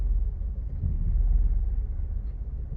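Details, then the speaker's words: Mazda 3 manual, stationary, right after a new battery install during its 10-15 minute idle relearn, throttle just released: deep low idle with a wavering loping beat, RPM very low, near stalling; low unstable idle. "See, I don't know if you can hear it. It almost sounds like it wants to die. Look how low the RPMs are."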